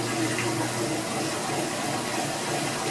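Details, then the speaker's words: Older Kenmore washer, newly installed and put into spin while draining: steady water flow over an even spin with no banging or wobble. Drum balanced and running normally. "This here, if you double tap it, it gets into spin mode as it's draining. This here will see if it's balanced out good."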